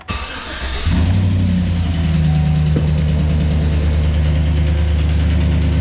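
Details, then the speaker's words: 2008 Chevrolet Silverado V8 with AFM/DOD cranks, catches and settles into idle with a steady, fast lifter tick over the low rumble, louder on one bank. An AMS Racing AFM/DOD delete kit is to be fitted. "So, this one is pretty much the most common lifter tick sound that you can get."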